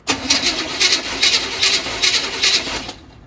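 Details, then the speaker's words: 1984 Chevy Silverado with a slight miss: steady cranking, even pulses about two and a half per second for nearly three seconds without catching; hard start, cause uncertain. "Laura, go ahead and crank it, please. Stay in it. Okay, that's interesting. Try again, please. Try again."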